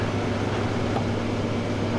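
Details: 2021 Kia Telluride sunroof after repair of a broken wind deflector and an off-track mechanism, sunroof refitted and adjusted, opening: an even, low motor hum with no catching or grinding as it travels. Operating normally.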